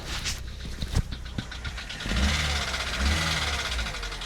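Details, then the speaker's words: Car at auction just after start-up: quick light ticking about four taps a second over the idle, very tappy; abnormal top-end engine tapping at idle. "Right, I've just started the car up and um very tappy. I don't know if you can hear that."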